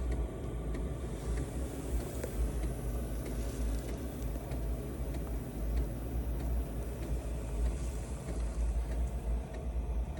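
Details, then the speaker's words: Diesel air heater (Amazon) installed in a 2016 Jeep JKU, after almost a year in use, warmed up and cabin at 20°C: soft, even low rumble, fan and fuel pump running steadily, no surges, rattles or misfires; normal running. "you can see you got the little thing you're seeing the fans running pumps working it's pumping uh it's got air going in and air going out tells you everything's moving good"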